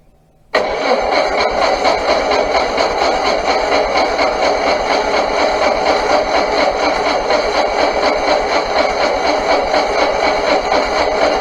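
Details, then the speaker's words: Onan engine on a sawmill, after a new vacuum hose was fitted (the old one showed no leak): a steady starter drone with a loose, uneven chug of about two beats a second; it turns over continuously but never fires, a crank no-start. "And uh I'm going to crank it over. I mean, it's not going to start. I mean, I don't know why it would. Nothing's changed."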